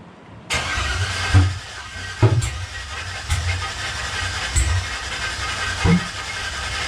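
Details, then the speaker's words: LS engine cranking with the fuel relay disconnected after hard backfires and a rich smell: the starter cranks unevenly with heavy lumpy chugs about once a second and no catch, one rotation chugging; no start. "do you hear how it kind of like chugged that one rotation anyway fuel's not hooked up right now"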